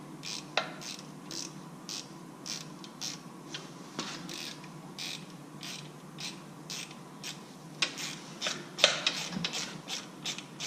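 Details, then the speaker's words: Harley Touring shift lever after replacing linkage bushings: crisp, clean clicks about twice a second as the shifter is worked, no more loose clunk or rattle, tight shifter. "there you go no more rattle no more noise nice tight shifter"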